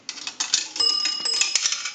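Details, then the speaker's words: 233G three-slot payphone during checkout after repair: coin rattle then two clear bright dings about half a second apart; dime correctly rings the bell twice. "We're going to use a dime. That'll ring the bell twice."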